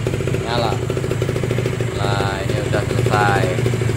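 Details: Kawasaki Ninja SS two-stroke restored after flood damage, with the wiring redone and an oil pump problem noted. A crisp idle buzz that picks up cleanly on each throttle blip and settles back evenly; running normally and smoothly.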